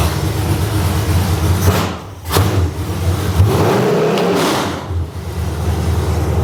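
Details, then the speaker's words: Cheapest junkyard small block V8 for a truck, just started for the first time: deep, heavy, even idle with strong low rumble and steady firing, shaking the house; runs smooth and solid, idles perfectly. "Dude. That idle's so fucking good. Dude! Did you hear that? It's like shaking the house."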